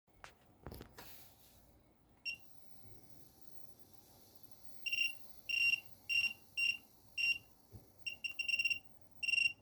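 A bench power supply gives off short, irregular high-pitched chirps, like insects or faint bubbling.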